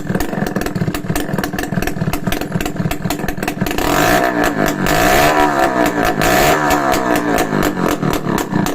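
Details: Restored Yamaha RS100 two-stroke idling without an exhaust pipe, hence loud: rapid, even popping that picks up briefly around four seconds, then settles. The engine itself is quiet and healthy.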